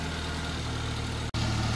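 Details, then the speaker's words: Classic Mini after new intake/exhaust manifold gasket on flattened manifold faces: steady, smooth idle with no hiss or stumble; carb cleaner sprayed on manifold found no leak. "Well, it's running, and it sounds a lot better than it did before. I sprayed carb cleaner on the manifold, didn't hear any leakage"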